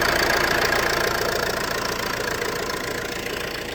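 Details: Ford C-Max: a regular knock about three to four per second over a steady idle, fading slightly; owner suspects the flywheel, not confirmed. Engine knocking noise.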